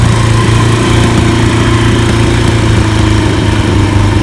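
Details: 1991 Kawasaki KZ1000 police motorcycle, 52,000–54,000 miles, 1000 LTD carbs, fresh oil, filter and plugs: steady even low thrum, no knocks or grinding, recorded near the airbox while shifting gears; normal running, though it can run rough and needs tuning.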